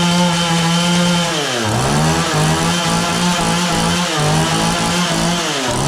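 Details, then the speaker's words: John Deere CS40 chainsaw just after installing a replacement chain oiler, hard starting, maybe not fully warm. A steady buzz twice sags sharply in pitch and recovers. It idles fine but bogs when throttled. Owner suspects carburetor mixture; the fix attempt failed. "It only bogs down when I give her the onion. It idles fine. It's just when I give it throttle."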